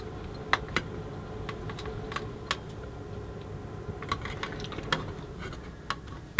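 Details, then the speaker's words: Eaton AFDD (arc fault detection device) test: irregular sharp snaps and crackles over a low hum from arcing at switch contacts before the device finally tripped. "so would you may have heard there's quite a bit of arcing going on there"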